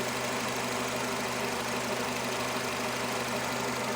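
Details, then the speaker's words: Nissan Terrano/Renault Duster, 47,000 km, idling after replacing a torn rubber diaphragm seal: smooth steady hum, no squeaks, chirps or ticks; earlier squeak near flywheel area is gone. "Всё чисто. Никаких посторонних шумов."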